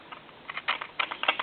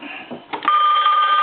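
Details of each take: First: Worn hook switch on a novelty animated telephone, checked at board level after parts replacement with the dial tone seizing the analyzer: irregular sharp crackles, pops and sizzling static in short bursts on the line; the hook switch cradle post needs repair. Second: Animated Goofy telephone after board-level repair: bright, steady electronic ring holding clearly without breaking up; normal ringing.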